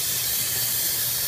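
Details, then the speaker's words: Ford 6.0 diesel, no start when hot, valve cover off, IPR valve refitted, shop-air leak test on oil rail, engine off: steady loud hiss of escaping air under valve cover, source unconfirmed. "I'm not sure how well this all picking up but you can really hear the leak if you had an injector you would see it underneath here at the injector"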